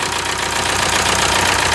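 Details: 1998 VW TDI diesel, ~500,000 miles, run on 80% waste vegetable oil; uneven rough stumbling idle, possibly misfiring. Stuck piston ring with blow-by; rings and connecting rod bearings to be replaced.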